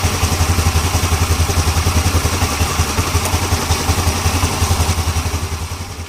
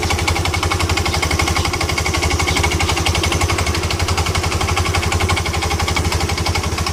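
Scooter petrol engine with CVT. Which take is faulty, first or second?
second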